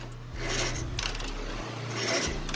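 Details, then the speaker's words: Honda GL Max 100 motorcycle, engine also smoking and running rough, to be replaced with a GL Max 125 block: kick or electric start slips freely with no engagement, not a clutch issue; harsh metal-on-metal grinding in bursts while cranking, fault from the cylinder upward. "itu apabila di selah atau di engkol itu ngelos ya teman-teman tidak ada nyangkutnya sama sekali dan juga itu bunyinya apabila diselah atau engkol bunyinya seperti besi bergesekan ya teman-teman"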